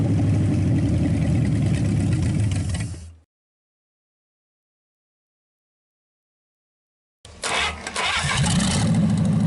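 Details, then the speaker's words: Packard 374 cu in V8, restarted to warm up and burn oil off the hot exhaust manifold: catches and runs strong, revs quickly with a clean, even note; shuts off fast, suggesting little cylinder wear and good compression. "And I really, you know, I like the sound of it. It revs quick and sounds strong as can be. And when you shut it off, it shuts off really fast."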